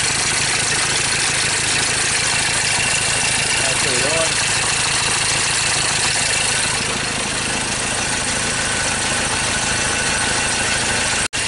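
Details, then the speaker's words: 2013 Ford Ranger T6 diesel that lost power and stalled after a service, at idle: an uneven, stumbling beat under heavy hiss that revs oddly. Misfire traced to dead injectors on cylinders 1 and 2. "all right this is a diesel vehicle see how they Ravens so that sounds like a misfire"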